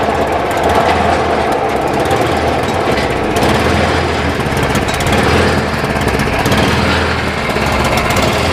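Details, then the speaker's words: Cub Cadet 1030E snowblower, 10 hp, 30-inch, running with auger engaged: loud, steady small-engine roar with auger churning, no stumbling or surging; auger drive works; carb needs cleaning. "Well, the auger seems to work. Wonder if it moves."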